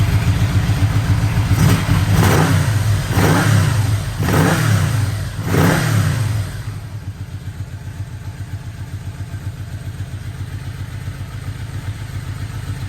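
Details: 1985 Yamaha Vmax V4 after carburettor rebuild, coils, leads, plugs, boots, restarted with air box fitted: quick crisp throttle blips rising and falling cleanly, then even steady idle; healthy revving.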